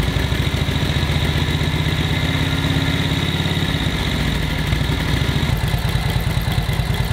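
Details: 1942 Harley-Davidson WLA V-twin, previous non-starter, now starting after distributor and carb overhaul and timing set; settles into steady even loping idle, no misses or pops; normal idle.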